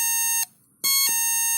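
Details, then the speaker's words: NE555 DIY electronic doorbell kit tested across supply voltages, unusable at 3 V, fine at 4 to 6 V; at 7 V the high, buzzy tone cuts out briefly then returns with a harsh ring as it resonates in the loudspeaker. "is wrong because it resonates in the loudspeaker."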